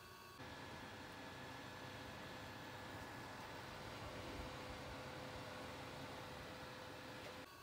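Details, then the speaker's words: Dell XPS 8930 desktop in its original configuration, before the fan-noise fix: a constant airy rush with a faint steady hum underneath that never lets up, like a jet engine; loud fan noise. "so if you have bought an evening 30 and it sounds like a jet engine all the time"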